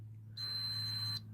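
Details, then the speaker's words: SWS garage door controller with the door in open position, commanded down: the solenoid actuates; a steady high-pitched buzz of about a second over a low hum, two long fault buzzes, and the door never moves. Cause not confirmed. "Door in open position, press down, you can hear solenoid actuating, then 2 long buzzes,"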